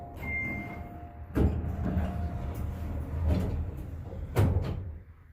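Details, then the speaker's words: Late-1980s Otis LRV elevator, heard from the car near the top of the shaft: hollow thumps and scrapes at uneven intervals. A limit switch roller arm is worn right down and scraping. "listen here when we leave hope you could hear that sounds like one of the rollers is completely worn out we can hear coming in at the top as well"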